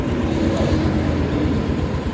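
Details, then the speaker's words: Yamaha Mio S40 scooter after replacing drive face pulley, assembly and belt; previously very noisy CVT now normal: even low drone, no squeal or rattle. Normal CVT running. "Kita nyo rin, ay rinig nyo guys. Kanina, maingay na maingay yan. Ngayon oh, wala, normal na guys oh."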